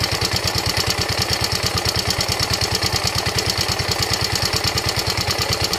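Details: Yamaha Ego Solaris scooter at idle before teardown; fast, rough, uneven knocking far harsher than normal, caused by a worn cylinder and broken cam bearing.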